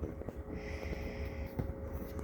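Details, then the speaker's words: IcyBreeze battery-powered cooler on its low setting, with water poured over the ice packs: a soft, steady low pump hum under quiet room noise as the pump fills the radiator; the pump runs normally. "you can hear the pump down in there once it gets that radiator filled it starts reporting air"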